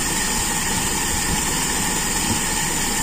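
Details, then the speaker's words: Toyota Kijang with Aisan carburettor after disassembly and tuning, throttle cable refitted, final idle: smooth, steady idle with no hunting or misfire; mixture judged very slightly rich, kept that way for power at the customer's request. "menurut saya ini masih agak kaya dikit kurang miskin tapi sedikit sekali tapi kalau enaknya enak ini jangan terlalu miskin"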